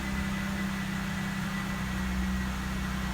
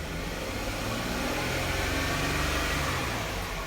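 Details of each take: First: 2012 Jeep Wrangler 3.6 Pentastar after repairing the broken cylinder 3 coil connector and clearing P0303: smooth, even idle with a steady low hum and no stumbles; scanner shows zero misfires on all six cylinders. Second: 2012 Jeep Wrangler 3.6 Pentastar V6: it revs with an uneven, stumbling pulse from a P0303 cylinder 3 misfire. The cylinder 3 ignition coil connector was found broken and repaired first.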